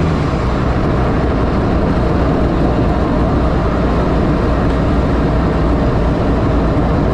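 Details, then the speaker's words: 1984 Fiero wide body with 3800 V6 swap, driving after new header gaskets replaced reused ones and a V-band clamp was added: steady low cabin drone, no ticking or puffing; the previous exhaust leak is gone and it is quiet now. "all right let's head back home before you'd be able to be able to hear a whole bunch of exhaust leak in here now it's quiet yeah it's pretty quick"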